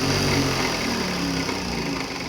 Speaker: So you can't control needle up or down. And when we turn off the machine, you'll hear the clutch motor spin down.